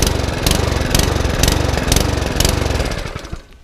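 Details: Mountfield HP164 mower with RS100 100cc overhead-valve engine, about 2017: fires with a rough, uneven thump and dies within seconds, keeps cutting out. Fuel reaches the carburetor; spark plug suspected, not confirmed.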